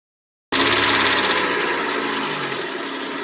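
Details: 1991 Mercedes-Benz 190E 2.0, cold engine only: quick light clatter at idle, ticking with engine speed. Defective hydraulic lifters, at least one sticking; replacing the lifters made the noise disappear completely.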